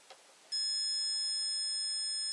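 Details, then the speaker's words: Fuse tested with a multimeter in continuity mode, probes touching both legs: a steady high-pitched beep of about two seconds, showing continuity and that the fuse is intact. "Tôi chạm vào hai chân. Ở đây, tôi chạm vào hai chân và các vòng đồng hồ vạn năng. Vì vậy, cầu chì này là tốt."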